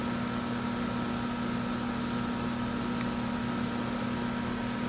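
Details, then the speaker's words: Outdoor AC condenser, about 19-20 years old, in cooling mode, working again after a dirty-filter problem: even, unbroken hum under the fan's rush with no knocks or rattles, running normally. "There's that. And this was not working before because of the thing, like a filter, the filter."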